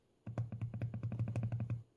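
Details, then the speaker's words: 12 V PWM-pulsed voice-coil valve, a variable analog valve, in a 2006 Karl Storz SCB thermoflator 26432020 on the bench: rapid train of short low buzzes, about nine a second, like a speaker; normal voice-coil valve operation. "you hear it it sounds and moves a little bit so it sounds exactly like a speaker and that is what it is we have a coil a voice coil that moves"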